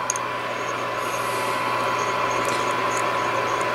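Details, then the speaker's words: Yaesu FTDX 560 vintage ham transceiver from an estate sale, 1 kHz generator signal injected: steady receiver hiss with a faint fixed tone that never shifts wherever the VFO is set; dead VFO, not oscillating. "And regardless of wherever you put the VFO, I still hear the tone."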